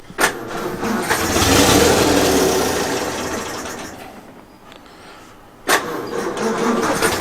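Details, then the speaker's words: 1932 Morris Minor four-cylinder sidevalve, little run since the early 1970s, on a 6 V battery, choke possibly still on: runs a few seconds then sags and fades out before a brief restart attempt; stalling from fuel starvation, sounds out of fuel. "it sounds like it's out of fuel let's just put a dribble in"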